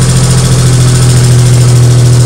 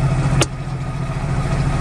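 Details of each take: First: 1998 Geo Metro idling after head and valve repair on the previously dead first cylinder, refilled with coolant: a steady, even low hum with no misses or stumbles, running smoothly without shaking; normal idle. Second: 1998 Geo Metro, sat for years, first start in neutral: low, lumpy idle with uneven throb, engine shaking badly.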